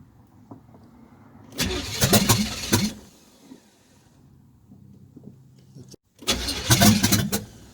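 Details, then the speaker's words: Chevrolet Camaro with newly fitted fuel pump, fuel system just hooked up: two short bursts of fast cranking that nearly catch but never fire; no-start from empty tank. "closer it's kind of irritating [Music] hmm nah just start it all right try this time with fuel [Music] now that's out of fuel"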